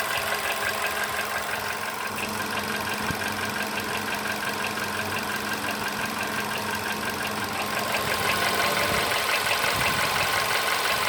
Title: Стук в двигателе поло седан